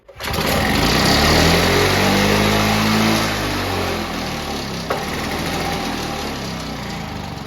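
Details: Victa Mustang 2-stroke mower rebuilt from junk parts with a Powertorque engine, primed three times; pulls over and catches at once, revs climb to a clean steady buzz then settle evenly; healthy running.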